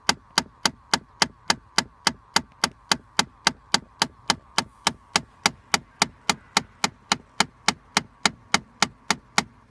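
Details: 2013 Chrysler 200 parked, even after sitting long periods: sharp, even clicking about 3.5 per second behind the glovebox where the cabin air filter is, over a quiet background; cause unknown.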